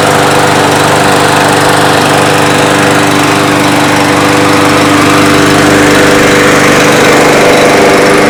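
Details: Yard Machines mower with newer Briggs engine after starter recoil repaired, oil topped up: steady, even single-cylinder drone at constant pitch with no misses or knocks; sounds healthy.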